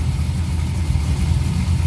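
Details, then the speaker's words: LS-swapped Porsche 944 with Chevy 6.0 V8, idling after oil and filter change, first start in six weeks on a six-year-old battery; oil pressure good, left running to charge. Deep, even V8 rumble, steady beat, no knocks or misses; healthy idle. "but we're at least going to leave it run for a little bit to charge things up and stuff"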